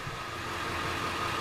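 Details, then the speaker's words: Ford 7.3 Powerstroke diesel after injector harness replacement, idling: loud, steady, even diesel idle with no misses, knocks or ticks; running really smooth, normal. "it's running really smooth - it sounds good he's about to pull it out pull it outside"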